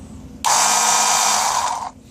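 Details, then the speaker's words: New cheap 12 V 5 A oil transfer pump run briefly off a 7 Ah sealed lead-acid battery: brief high buzzing whir, about 1.5 seconds, steady pitch, starting and stopping cleanly, like a small car air compressor; pump motor running normally. "And yes, it sounds exactly like one of those little car automotive air compressors."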